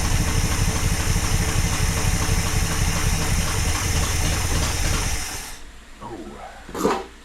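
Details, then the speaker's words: 1974 International pickup that sat for years, first start with a blown-out muffler: engine catches and runs lumpy and uneven for about five seconds, then dies. Carburetor probably still gunked up; transmission iffy. "well transmission's iffy she's carburetor carburetor is probably a little gunked up still and it's real gross"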